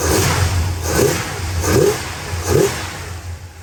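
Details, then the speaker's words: 1968 Dodge Super Bee 383 Magnum, just over 31k miles, one replaced muffler, Pertronix ignition, new wires and cap, doesn't smoke: deep, even burble with clean blips about once a second, no knocks, misses or rattles. Normal idle and revving. "And a finer, tighter running 383 Magnum. That sounds this good. This thing is tight and still drives like a new car."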